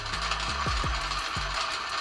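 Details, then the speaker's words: Coffee grinder at 700 RPM with a CremaLoop electronic slow feeder dropping beans: single beans crack in quick, separate snaps, each cleared from the burrs before the next drop; normal, steady grinding. "700 RPM it's able to clear the Burrs between each beam drop so that's how it works"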